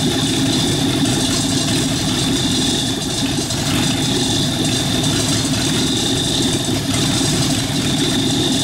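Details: Rat rod truck engine idling, driving converted York AC compressor pumping air for airbag system, pressure switch set about 85-100 psi: smooth even idle with steady high hum from belt-driven compressor; engine and pump sound healthy; normal idle.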